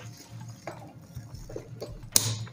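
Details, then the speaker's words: HVAC magnetic contactor, a known-good replacement for a mechanically faulty one, powered up: a low mains hum, a few soft taps, then one sharp clack as it pulls in cleanly and works normally. "and see—it’s working perfectly now."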